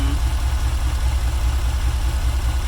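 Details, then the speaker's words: 1994 Chevrolet Caprice after crank-no-start from 20-year-old gas, fixed with octane booster and new fuel filter, fuel pump not replaced, running off jumper cables with a dead alternator: even, steady low idle with regular firing and no stumble; normal idle. "so it's it's been running it's pretty low but it is running on its own doesn't sound bad"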